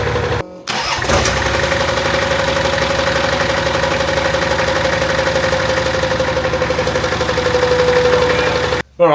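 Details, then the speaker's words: Nissan Patrol with replacement TD42 turbo diesel, first run after three years unused: starts and idles with steady whine and uneven tapping; abnormal noise, cause not found. "well we can't figure out the noise at the moment but we're going to call it here it's uh running and driving yeah doesn't sound very good but just yeah that noise if it wasn't for that noise it would sound perfect"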